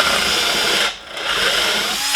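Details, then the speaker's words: 12-volt keyless-chuck drill with a 3/8 bit drilling a hole: high whine sags nearly to nothing as the bit bites, then climbs back weaker; motor bogs under load, battery suspected nearly dead. "and i think that battery is probably about ready to die so it's not taking the drill it's not taking drilling the hole good"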